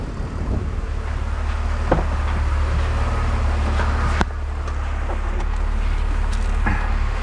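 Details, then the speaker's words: BMW E46 330i/325i inline-six with an induced vacuum leak, held at raised rpm: rough, stumbling running with uneven pulses as a cylinder misses. Fuel trims climb past 20, heading toward P0171/P0174; the leak was then plugged. "you can now hear that's a large vacuum leak the engine's missing you can see fuel trims are going up"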